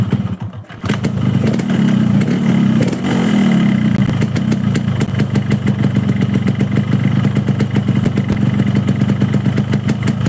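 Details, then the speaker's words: Two-stroke motorcycle idling at about 1500 rpm, checked before diagnosing sluggish pull; crisp, even popping at a steady idle with no rise and fall, hunting or misses: normal idle. "Ini motor tidak naik turun maksudnya suara mesinnya deng deng deng dengnya itu stabil ya teman-teman"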